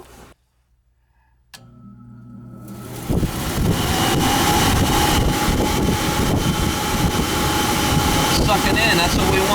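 The blower spins up over a couple of seconds to a smooth, even rush of air with no rubbing or rattle.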